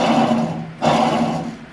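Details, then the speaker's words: Cub Cadet 1529 riding mower deck during full service, idler/spindle pulley spun by hand; rough, gravelly growl swelling with each spin and fading as it slows; worn pulley bearing, to be replaced. "And I think we better replace that the way that sounds."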